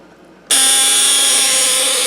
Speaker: you can hear our relay buzzing away there, and our motor spins.